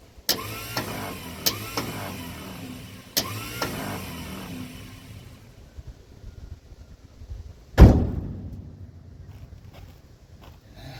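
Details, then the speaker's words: 1956 Ford truck, 45,000 original miles, sitting about 40 years: a few single starter clunks seconds apart, no cranking. Owner suspects a stuck Bendix; starter rebuild considered. "Well, that's no good. These old starters tend to Bendix tends to stick sometimes."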